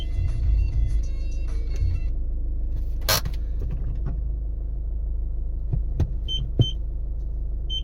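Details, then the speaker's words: VW Golf after rear parking sensor installation, engine idling: over a low idle rumble, short high-pitched beeps three times, clean and distinct; rear parking sensors working. "go close that kind of door you can you can hear the beep [Music] so like you can see everything is working"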